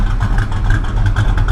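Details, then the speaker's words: V8 running rich and smoking heavily: uneven, lumpy idle with sharp backfire pops; owner suspects ignition timing off 180 degrees, not confirmed. "Hear that smoke in here? Hear the backfiring? That's why I think it's timing. I think it's off 180 degrees."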